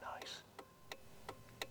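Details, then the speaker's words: Renault 5 Gordini Turbo (Renault 5 Alpine Turbo) classic car cabin: stumpy indicator switch used, crisp evenly spaced telltale ticks about three a second over a quiet cabin; normal indicator ticking. "for instance this beautiful little Stumpy indicator switch here which Falls very easily to hand but just listen to the indicator Telltale noise oh that is so"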